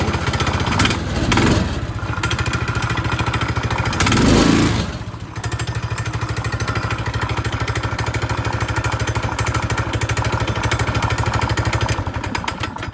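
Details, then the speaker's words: Manco Fox Conquest go-kart, 126 cc engine with torque converter, after carb work, oil change and air filter: even steady putter, clean throttle blips that settle smoothly; normal running. "you know with the torque converter it runs fantastic I was all set to like put that bigger motor in because it's a 126 CC I doubt it's five horsepower"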